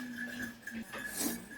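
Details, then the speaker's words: 2004 Ford Ranger with about 192,360 km, AC compressor with no compression and rubber clutch dampers missing or pushing out: hand-spun pulley gives a steady whirring hum with metallic clinks, quite loud worn clutch bearing. "เสียงลูกปืนอ่ะจะคืนค่อนข้างเสียงดังเลยนะ"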